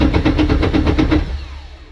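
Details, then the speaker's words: Porsche 991.2 Cup car with no-ignition no-start, engine signal bridged during diagnosis: rapid even cranking pulses about seven per second, then fires briefly and dies; start circuit working, diagnosis continuing. "that's good news so I got that started"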